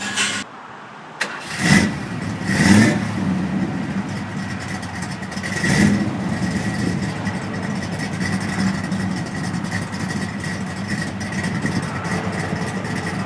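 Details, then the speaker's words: Jeep engine with about 170,000 miles and flat-tappet cams, bad lifter tick for months, after adding Marvel Mystery Oil: steady, even idle with no ticking over it; valvetrain quiet, motor running smooth. "I don't hear any tick now the motor is running real smooth"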